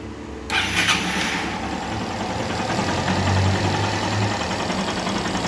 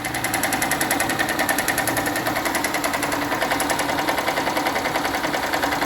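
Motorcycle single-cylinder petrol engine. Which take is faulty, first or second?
second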